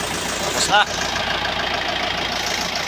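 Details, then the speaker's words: 2017 Mitsubishi Strada 4D56 common-rail diesel with hard start from water in the fuel, after tank cleaning, injector repair and bleeding at injector number three: even, steady idle with no misses or stumbles; the problem is solved. "Andandar na ito. Yan. Yan ayan. So umandar na guys."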